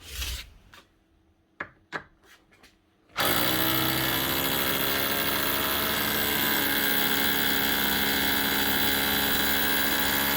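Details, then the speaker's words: Makita HR2630 SDS+ drill after repair with fresh grease; handling clicks then steady harsh rattling hammer buzz, hammering like a new machine. "and that's her up and running again the way she should be hammering like a new machine"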